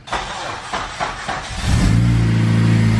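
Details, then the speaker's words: Honda Civic Si starting after a Mugen brake and caliper job: the starter turns sluggishly at about four even beats a second before the engine catches and idles. This is a slow crank; the mechanic suspects a weak, roughly 11-year-old battery, not confirmed. "like you might be needing the battery he leave the door open I've looked at the date on the battery it might want to consider a battery before he leaves you stranded"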